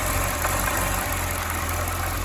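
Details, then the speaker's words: 2010 Corvette ZR1 supercharged V8 at first startup after damage: idles slightly unevenly with a small stumble. Rough idle is blamed on unmetered air, since the sensor and throttle body are open. "so i guess it's running a little idle it's probably a little rough because of the fact that every like the this sensor right here and the throttle body is just open up and open so it's not getting the correct readings"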